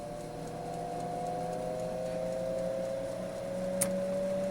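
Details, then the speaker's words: Kalorik AFO 46129BK air fryer oven during repair (lower heaters defective since new), switched from bake to air fry mode; the convection fan starts with a quiet steady hum and faint whir, no rattle. Normal fan operation. "um on bake I now have 110 on number two if I go to air fry the fan starts and over"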